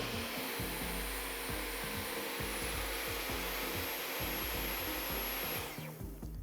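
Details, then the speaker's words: Dyson cordless vacuum moving from clean floor onto a dirty section: a steady high whine with a light rhythmic scrub, stepping up in pitch midway. Normal automatic suction boost on detecting dirt. "It's increased the suction because it's detected the floor is dirtier, and then when we went to a clean section, it was on a lower setting because it didn't need as much suction, and it's optimizing the ba"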